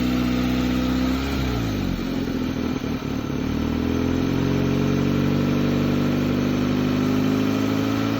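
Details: 2004 Hyundai Elantra, started after sitting 2 years, check engine light on: engine speed sags and stumbles unevenly then climbs without settling; surging, hunting idle, cause not yet diagnosed.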